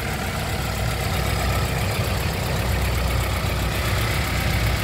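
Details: 1995 Toyota Starlet SEG 1.3 engine idling, heard in the engine bay: smooth steady low rumble, no knocks or misses; described as very smooth, no oil burning or compression leaks.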